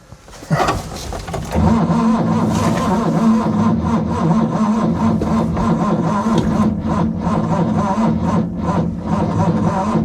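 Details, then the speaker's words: Ford Capri 3.0 V6 race car after 20 years stored, on a second battery: starter grinds the engine slowly and unevenly for seconds, dropping off quickly without catching; slow cranking from weak battery. "As you can hear, it's dropping down so quickly."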